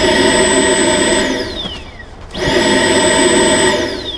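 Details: 2009 Ford Fusion with codes P0410 and P0491: the secondary air pump is run by energizing its relay with a test light. A high whine spins up, holds steady and winds down, twice in a row with no rattle, so the air pump runs fine.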